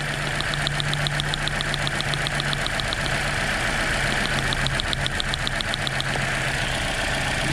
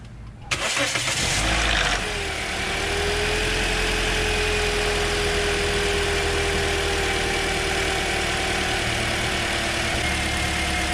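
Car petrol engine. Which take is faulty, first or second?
first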